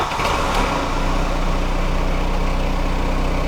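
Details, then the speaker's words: VW Golf Mk3 after refitting the original throttle body, original single-point injection and a good Hall sensor; after a brief start flare, steady even low idle with smooth unbroken beat; normal idle restored. "so we're back to a normal idle now which thank God for that"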